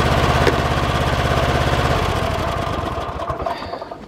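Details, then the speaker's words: Kohler 7000 series 24 hp twin-cylinder mower engine running on one cylinder: uneven lumpy thumping with occasional popping, sagging as it runs; no spark on one side, ignition coil/wiring suspected (mouse damage), bogs in tall grass. Dead cylinder misfire. "hen you get in Tall Grass it starts bogging down I'll start it up I'll show you what it looks like you can hear an occasional popping noise"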